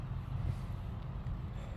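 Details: Rotted Chevrolet squarebody truck with 454 big-block, with a dripping leak: deep, steady low rumble with no knocks or misses under wind noise; engine runs smooth and even.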